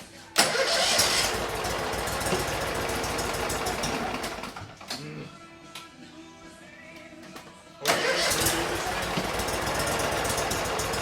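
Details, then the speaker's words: 2006 Mud Buddy HD Mini, 23 HP Briggs Vanguard, stock muffler before replacement: buzzes hard like a lawnmower, dips a few seconds, then picks back up; normal exhaust note. "Yeah, we're gonna change out the exhaust, but so try and really listen to see what this sounds like. It's gonna sound like a lawnmower."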